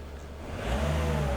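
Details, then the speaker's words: 2003 Nissan X-Trail T30 2.2 dCi diesel with fault code P0120 that would not rev: after an accelerator bypass, revs climb cleanly from idle with a normal response. "that should be it working normally."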